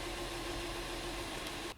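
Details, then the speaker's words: 2012 Honda Pilot 3.5L V6 after fixing cylinder 3 misfire (P0303, worn spark plugs): steady even idle with no stumbles or shaking, scan tool showing zero misfires; normal idle, confirmed fix. "so right now engines happy and you can see or bee doesn't show any misfires either and if we go to our total so under misfires you can see same thing no misfires so you got a confirmed fix"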